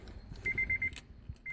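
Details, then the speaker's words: 2007 Acura RDX: quick bursts of high thin electronic chirps from lower driver-side dash, with ignition power on, engine and AC off, continuing even with power off; dealer could not find the cause, unknown. "Here's 2007 Acura RDX, and it is making this very odd noise coming from the lower dash on the driver's side."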